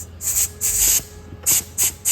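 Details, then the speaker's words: Massey Ferguson 1200 iPTO clutch pack after rebuild, air-tested: sharp bursts of air hiss about every half second, each with a faint click as the plates engage; the clutch pack is working as it should. "Probably can't hear it clicking, but you can hear the clutch plates doing what they should do."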